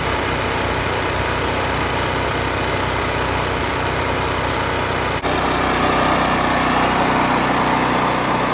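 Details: 10,000 W surge / 8,000 W running generator left outside for years, water and mud found in air cleaner box and cleaned out; even, steady hum at constant speed with smooth regular beat; runs cleanly and healthy.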